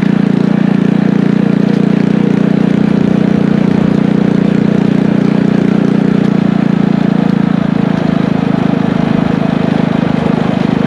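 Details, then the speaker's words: Engine from a scrap power washer, with a muffler and a 6.5 HP torque converter clutch, on a motorized tricycle ride: steady, even drone holding pitch as it pulls, no knocks or misses; normal running under load. "we just got back from taking this thing for a ride and it actually rips around pretty good it picks up surprisingly well especially with that torque converter it's working perfectly"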